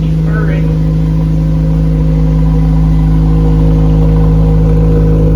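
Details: Honda S2000 after no-start troubleshooting, now running at a steady, even idle with a smooth low drone and no knocks or misses; the engine is running cleanly.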